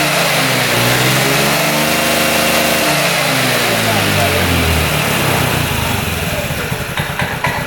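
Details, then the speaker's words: 2006 Honda Metropolitan scooter after fitting a new intake boot and a replacement carburetor (from a Ruckus): revs up cleanly and drops back without stumbling, now revving out completely; healthy carburetion. "That definitely sounds better. [Applause] So, it's rubbing out completely."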